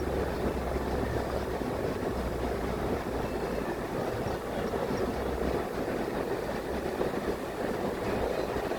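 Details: 1962 Porsche 356 Coupe on a 98°F day with a 6-volt battery: steady labored cranking that goes on without ever catching; cranks but won't start, finally jumped with a 12-volt.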